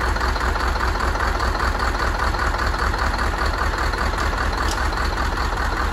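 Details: Scania DC16 16-litre V8 diesel (500 hp, from an R500 truck, 1.6 million km) idling just after rebuild and first start: a steady low rumble with even firing and no knocks or misses, a smooth, healthy idle.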